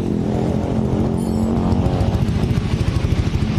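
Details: Yamaha NMAX scooter after checking the electric starter for a clicking "cetek" noise, with worn carbon brushes or a dirty connector suspected: fires and settles into a smooth, low, even running note, no clicking or rough starter noise; running normally.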